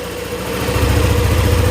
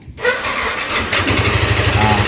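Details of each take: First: Yamaha NMAX scooter after repair of a ticking ("tek tek") top-end noise: a low, steady idle thump with an even rhythm and no tick. It now sounds like new. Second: Yamaha NMAX scooter run with only the front pulley fitted (rear pulley removed) to isolate the noise: it starts and settles into a fast, even, severe tick over idle. Rocker arm, cylinder block or scored piston suspected.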